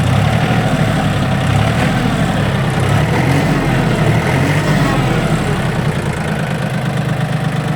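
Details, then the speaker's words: Japanese Yanmar F18D mini tractor diesel: starts easily, no warning lamps, steady even low chug at idle with no knocks or misses; runs smoothly and revs up well. "давайте запустим послушаем двигатели посмотрим на двигателе пускается легко"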